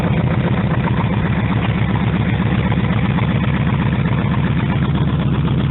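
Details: Normal idle: a 1948 Harley-Davidson EL Panhead after a cold start, needing two full kicks and full choke, with the carburettor readjusted and timing set. Steady loping V-twin idle at about four beats a second, even, no ticks or knocks; sounds good.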